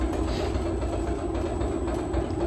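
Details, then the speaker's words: Honey extractor on a new wheeled stand, empty, no brakes, running at half speed: steady low hum with a faint even vibration and no knocks or rattles; normal smooth running. "That vibration you can hear is just that. That's what's making the noise at the moment."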